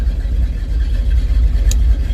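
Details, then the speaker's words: 1970 Dodge D100 after rewiring with a new fuse block: engine still cranks up fast, catches quickly and settles into a low steady rumble with no knocks or misses; healthy run. "let me crank it up hold out for a second [Music] still cranks up fast"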